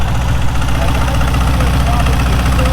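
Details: 1968 VW Beetle Baja revived after bleeding the brakes and reattaching a loose battery cable: a low, even air-cooled thrum with a steady beat and no knocks or stumbles, a healthy idle.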